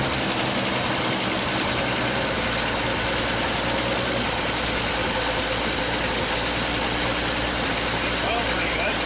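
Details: 1939 Chevrolet Master six just started after 48 years in storage. It keeps running with a busy, uneven clatter and lots of hiss, blowing out very blue smoke at first; rough running typical of a long-stored engine.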